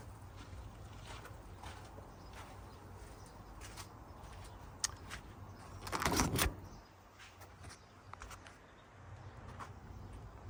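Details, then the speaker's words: 1981 Dodge Ram 350 V8 with Edelbrock 600 CFM carburetor, after blowing out idle circuit with compressed air and setting mixture screws half a turn out; steady even low rumble, no misses or hunting, runs smooth. "so that seemed to do the trick um it runs smooth now"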